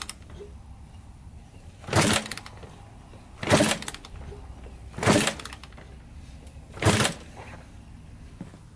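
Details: Rebuilt 1987 Kawasaki Tecate 4 250cc quad, first start after rebuild, good compression: four kick strokes with no firing; getting gas, spark later found good, gas then poured into cylinder; cranks but no start.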